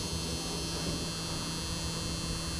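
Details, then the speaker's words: Bronco that sat over 10 years, passenger window down that whole time; steady low electric hum at one pitch as the window motor labours against barely moving glass: power window motor straining, cause suspected, not confirmed. "Because this passenger window's been down for 10 years. Yeah. What's one more? Oh, come on. Can you help it? It's trying."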